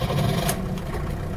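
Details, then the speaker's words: One-owner Peugeot 504D diesel wagon, 92k original miles: a short crank, then it catches into a low, even clatter without stumbling, a healthy start; it sometimes cranks extra long when cold in the morning and needs a little pedal. "sometimes it'll crank extra long um especially when it's cold in the morning if that's the case you give it a just a little half a juice on the pedal thing fires right up runs great"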